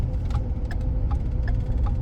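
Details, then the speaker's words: 2012 Ford F-150 3.5 EcoBoost 4x4 on a test drive: sharp turn-signal relay clicks repeat quickly and evenly over low road rumble; the left signal blinks at a different speed than the other side, though both mirror signals work; the faulty side is not yet identified. "We're going to check our turn signals when I get stopped just cuz you can see that that is um blinking at a different speed than the other one."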